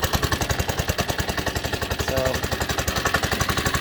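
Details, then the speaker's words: Baja Doodlebug minibike, old stock 97cc Baja engine near end of life: hard to start, runs on choke with lumpy, uneven chugging and stalls unless left to warm up a while. "i got it running a little bit by trying to choke off a hard time starting up and just stalled you really got to let it warm up for a while"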